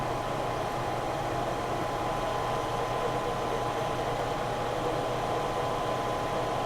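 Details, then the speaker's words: Lion lathe boring a 19-inch sprocket at 250 rpm after chatter at 355 rpm: steady, even cutting hiss with a faint clean tone, no squeal or vibration through the pass; smooth chatter-free boring cut. "so far that sounds good so 355 was just a little too fast 250 is about right"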